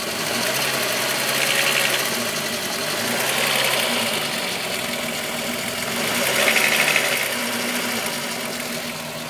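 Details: VW Golf VR6 2.9, 103,000 km, steady idle: light rapid chatter growing louder in waves. Chain-rub noise grew louder after the upper hydraulic tensioner screw was changed; timing chain rubbing its guides suspected.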